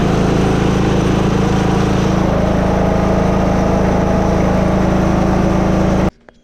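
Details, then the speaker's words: Free Simplicity riding lawn tractor after a new fuel filter and fresh gas. The small engine runs with a steady, even low drone, no misses or knocks, then cuts off. Normal healthy idle. "doesn't sound too bad for free if you ask me"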